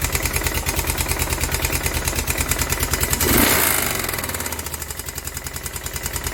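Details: Kawasaki Prairie 360 4x4 ATV, damaged project machine; steady idle with regular knock about three times a second over exhaust beat, deep bottom-end knock, bad crank suspected, not confirmed.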